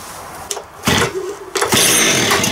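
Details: Concrete saw after rebuild, cold start on choke with a couple of primes: a couple of pulls, then it catches and settles into a crisp, steady high idle; starts cleanly, normal cold start.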